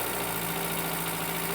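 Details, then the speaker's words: Mk1 Austin Mini barn find, fed fuel by hand from an aerosol can into the carburetor: runs on a steady low beat, fairly even, nearly settling into a half-decent idle. "that sounded that was about to come down to a half decent idle it it it kind of wants to run it was running and it was it was running"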